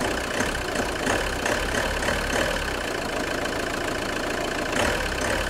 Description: JTD 105 weird creaking noise when engine is cold. Part 2/2.